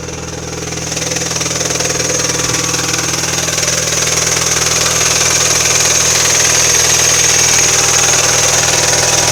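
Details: Mini Cooper R56 (non-S) petrol engine idling: fast, even tapping about four a second with hiss on top; intermittent noise every 2–3 weeks, usually settles after a few minutes running, engine otherwise alternates rough to normal; cause unknown.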